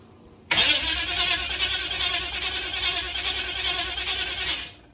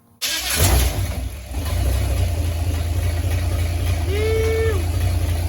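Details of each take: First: UC Torana, first start attempt after over 10 years off the road, fuel pump humming, a leak at a copper fitting tightened: starter cranks steadily about four seconds but never catches; no ignition, later traced to voltage drop while cranking. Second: Holden UC Torana first start after cranking voltage drop was fixed: engine catches at once and settles into a steady, even idle with no misses, knocks or rattles; running properly.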